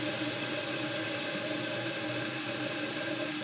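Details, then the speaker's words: Toilet on well water, fill valve heavily scaled: thin steady hiss of water trickling slowly through the filler neck, no strong fill surge; slow tank fill. "yeah I don't know if you guys can hear it or not but I can certainly hear the water kind of slowly filling through the filler neck here"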